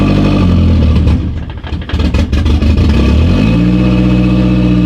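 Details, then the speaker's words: 450 hp turbo Hyundai Genesis Coupe on ethanol, first start after fire-damaged wiring repairs, in neutral: cranks briefly, catches, settles into steady even fast idle with no knocks or stumbles, expected to drop as it warms. Normal cold fast idle. "She is on ethanol, so it does take a little bit to start, so that's all right. After it warms up, it should come down."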